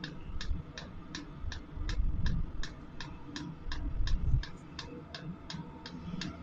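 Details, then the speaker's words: Sunster 5 kW all-in-one diesel air heater during ignition/relight: crisp regular clicks about three a second over quiet rumble, the diesel pump sending fuel to the combustion chamber as it heats up; normal. "quand on entend le bruit de la pompe là les petits clacque clacque claac c'est la pompe euh de gasoile qu'en voie le gasoile dans le corps de chauffe"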